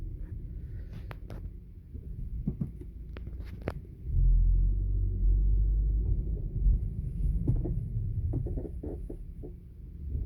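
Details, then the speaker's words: Audi A4 B8 braking over uneven ground, irregular creaky knocks and clicks over deep road rumble: creaking knock when braking over bumps, cause unknown. "сейчас попытаюсь показать как шумит значит на при торможении на неровной поверхности то есть получается такой звук"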